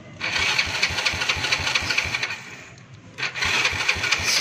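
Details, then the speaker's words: Motorcycle whose starter spun without turning the engine (Bendix fault), after Bendix repair; starter shorted directly. Steady whir with even cranking pulses about five per second in two bursts; starter now engages and turns the engine. "Try natin yan ah ita-try natin i-short. Tingnan natin kung ito yung starter natin. Yan ita-try ko muna i-short. Tingnan natin kung sasama."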